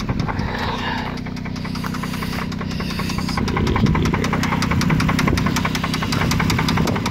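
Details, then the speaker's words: 2002 Toyota Solara petrol engine at idle, engine cover off, no check-engine light: steady light knock, three or four taps a second, over a low rumble, mainly from the rear cylinders; owner suspects a fuel injector, unconfirmed. "so we got this 2002 Toyota Solara has some knocking noises come from the engine that is there's no check engine or anything"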